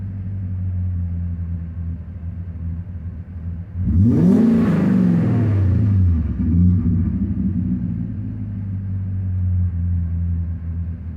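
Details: BMW M60B40 V8 with chipped 404 DME and 7k rev limiter: sharp throttle blip, then revs sink back gradually over a couple of seconds before settling; slow return to idle, vacuum leak suspected, not confirmed.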